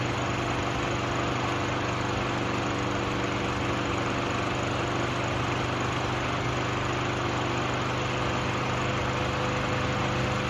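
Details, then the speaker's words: Craftsman 6.75HP self-propelled lawn mower at full throttle after the fix. The bent throttle cable was moved to the furthest forward hole to hold the throttle wide open, since it wasn't getting enough throttle before and started unreliably. It now holds a steady, even buzz with no surging and runs cleanly. "right, guys. It runs pretty good."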